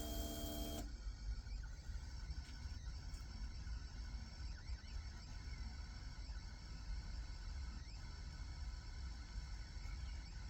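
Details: Honda VFR 1200 motorcycle just after start-up: steady electric-motor whir over a low engine rumble; owner suspects the fuel pump, unconfirmed.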